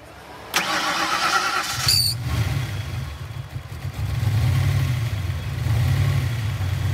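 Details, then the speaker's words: V8 Dart fires up into a lumpy idle with a low irregular slapping beat about three times a second, sounding like a knock or dead misfire; owner suspects the exhaust cutout flapping back and forth, not confirmed. "yeah i'm pretty sure they ain't gonna knock i'm pretty sure that's just that cut out slap them back and forth yeah that's what we think anyway"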